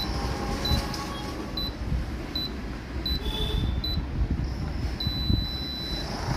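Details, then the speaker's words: Daikin AC indoor board with the coil sensor deliberately removed; short single beeps while stepping through codes, then one long steady beep marking error C4, a coil thermistor/sensor fault. "ஓகேங்களா இப்ப long beep sound கேட்டதுங்களா சி4சி4 தான் sensor error இப்படிதான் இதுக்கு error பாக்கணும்."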